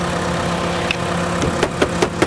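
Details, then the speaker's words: 2010 Mitsubishi Lancer salvage-auction car; even, steady idle with a smooth low beat and no engine knocks, few clicks at end from handling; runs good and sounds healthy, normal idle. "She runs good. It sounds healthy, guys."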